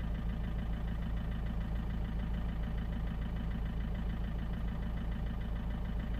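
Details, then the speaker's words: 2003 Peugeot 307 2.0 HDI diesel, restarted after programming a new transponder key: steady, even diesel clatter at idle, about two beats a second, no misses or knocks; starts better now, healthy idle. "now started way better this time don't know my was because was off for some time perhaps that off"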